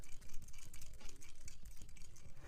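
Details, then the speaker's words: Apple AirPods Max shaken by hand: quick, irregular light clattering from inside the housing; suspected part broken off from a drop or an overtightened internal screw, not confirmed. "there could be many different reasons why, but the two main reasons will be that one, the previous owner has dropped the AirPods Maxes and something inside the headphones has broken off and started to rattle."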